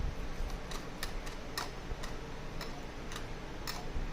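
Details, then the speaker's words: Clutch pack of a Kia Stinger AWD transfer case (47300-4J000, also used in Genesis G70/80/90), rocked by hand out of the unit. Irregular light metallic ticks come from the friction disks and metal plates, suggesting too much clearance; the cause is speculative and unconfirmed. "i hope you can hear the sound this is friction disks and metal plates so we have a lot of space"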